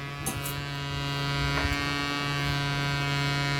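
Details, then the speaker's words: Sound Bridge SB-3500 DP amplifier with lid and driver board open, playing into a small speaker: a steady low buzzy mains hum from a manufacturing fault, with 2200µF 25V capacitors fitted on the driver board where they should not be. "Actually ఏంటంటే ఇది మ్యానుఫ్యాక్చరింగ్లోనే complaint ఉంది."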